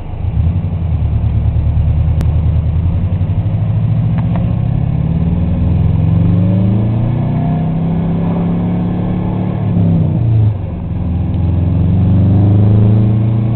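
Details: Subaru EJ22T turbo engine revs climb then turn rough and uneven with irregular anti-lag-like popping around 4000 rpm in any gear; high-rpm misfire, cause not found despite extensive testing.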